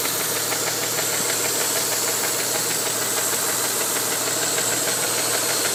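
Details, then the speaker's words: 1992 Mitsubishi 3000GT VR4 at warm idle after 8-9 minutes, after fuel filter and oil change: steady rapid knocking about three raps a second, with black smoke; timing belt slightly loose, knock seems near cylinder 6 by the oil filler cap, source unconfirmed. "The knocking sound seems to have accompanied the smoke in the back. Okay, wow. We developed a lot of smoke out the back when we started the knocking sound."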